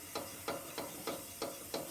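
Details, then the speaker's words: 9-year-old Hafco Woodmaster BP-305 12-inch bandsaw on low speed with blade loosened: regular knock about three times a second with each lower wheel turn; lower wheel has play on its shaft, during tune-up. "that noise if you can pick that up and that to me doesn't sound right so i've been working out exactly what it is"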